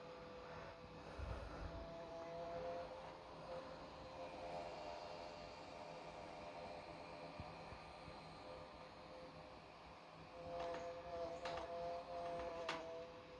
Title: weird sound and vibration coming out of my DJI Radio